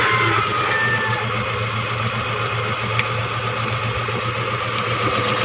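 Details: Chery QQ engine misfiring at idle; uneven stumbling beat, roughly four thuds a second landing unevenly, cause not yet known.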